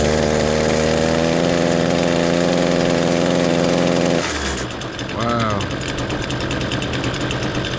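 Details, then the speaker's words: Echo SRM-225 two-stroke weed trimmer, cold start on choke, before repair: fires and runs then note sags and falters instead of climbing, heavy exhaust smoke; clogged spark arrester. "lot of smoke coming out of that exhaust and that's all he's getting it starts up fine though just barging down"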